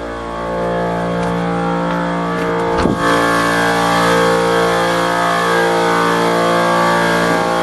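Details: Old shop air compressor (being replaced by new Harbor Freight Central Pneumatic 29-gallon 150psi), heard from outside against the house: loud steady motor drone with dull thump, no easing off, fighting near top pressure; labouring suspected, unconfirmed.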